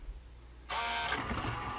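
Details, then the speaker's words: Sony MDP-333 laser disc player, disc not spinning, sled hunting farther out as if it detects a larger disc: a buzzy whir continues as the pickup shuttles back and forth. Unusual mechanism noise, cause unknown. "clearly in understands that this is bigger disc because before it was hunting closer and now it's hunting further away okay let's do again also I don't really like the noises it makes"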